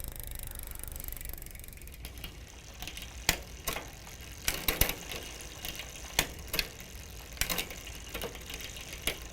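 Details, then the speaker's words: Huffy multi-speed bicycle rear derailleur after loosening the low-gear limit screw, which had stopped the chain engaging first gear and made it rattle; the chain now shifts cleanly into and out of the gear with crisp separate clicks. "so we got it to engage there go back down go back up"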